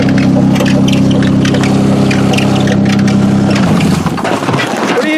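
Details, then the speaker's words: Sleeping Honda Accord demolition derby car, first start on a booster pack with broken motor mount: engine runs briefly, then its note sags and drops away within seconds, stalling right after restarting; cause unknown. "doing stop dying"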